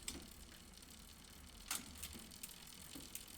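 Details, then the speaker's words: SRAM GX Eagle 52-tooth drivetrain after 7 months, second chain: scattered sharp ticks, about three a second, over quiet freewheel noise, sitting in one much-used gear (around 10th); owner suspects slight misalignment, not confirmed. "think maybe that's because it's like the most used gear maybe but sometimes i like tick tick tick tick tick tick it'll sit in the gear and it'll tick along"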